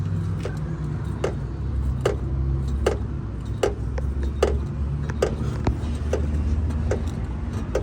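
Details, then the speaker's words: Sharp, evenly spaced clicks about every 0.8 seconds over a low steady rumble, found with a suspension noise-finding tool underneath the car; the rear suspension arm is knocking. "Puxa do braço traseiro da suspensão nesse caso aqui."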